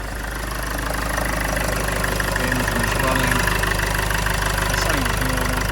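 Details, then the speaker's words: 2009 Land Rover Freelander 2 XS at idle after an air intake upgrade, with silicone ducting replacing the factory duct. Steady, even idle hum with a smooth low pulse and no knocks or ticks. Sounds exactly the same as before; normal idle. "Immediately I noticed no difference at all. It sounds exactly the same as normal."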